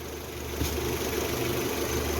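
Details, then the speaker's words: Citroën C4 2.0 petrol engine idling smoothly and evenly after a membrane replacement: no whistle, no misfire, no squeal. "filmar 100 a falha ver o barulho ver o assobio zero gritos"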